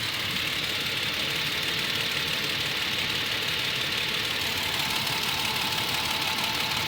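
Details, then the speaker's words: Toyota Tacoma at 50,964 miles, warmed to operating temperature after about six minutes: light, sharp ticking about three times a second at idle from the driver side, louder when warm, with slight shakiness. Dealer calls it within spec; owner suspects a defective engine. "you can hear right here that's not normal see it sounds louder after each his operating temperature but you got to let it idle in order to really hear"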